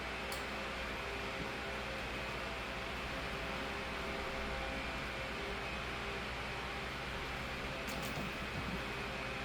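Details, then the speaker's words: Holmes 12" desk fan HDF-1209 (2007), after cleaning and servicing, fitted with a 16-inch high-RPM motor driving a low-pitch 12-inch blade; on high speed it gives a loud, even rush of air with a smooth motor hum, no rattle or wobble: normal operation. "it's the same thing with the high speed really sounds like a blizzard fan here"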